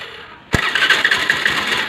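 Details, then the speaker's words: Honda Dio scooter self-start problem after replacing the bendix (starter drive), self-starter motor good: short clean crank, engine catches and settles into a steady idle with no starter grinding; normal electric start after repair. "ஓகேவா, வண்டி start ஆகிடுச்சு."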